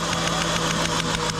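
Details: Engine idling with a rough, regular stumble about seven times a second, a steady misfire; the injector shows a pulse on the blue wire, so the injector circuit is ruled out as the cause; a new computer was bought after a shop misdiagnosis.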